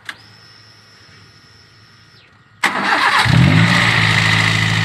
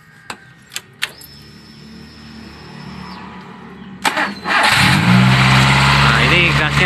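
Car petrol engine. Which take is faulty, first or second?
second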